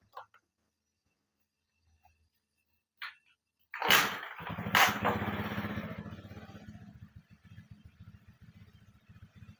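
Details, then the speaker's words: Carbureted Honda Beat scooter that keeps blowing fuses and is rough on the left side: a couple of clicks, then a short, harsh, uneven crank; the starter pinion drive sticks and won't return cleanly even when greased, so it is replaced with a new one. "nah ini karena gig trapnya ini pinion ini bagian trapnya tadi bermasalah ya walaupun dikasih stempet masih saja tetap kurang enak ya kembalinya"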